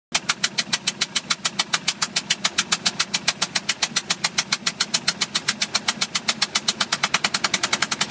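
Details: 2005 Bayliner 175 boat engine at quiet idle: sharp, evenly spaced knock about three or four times a second; cause unknown.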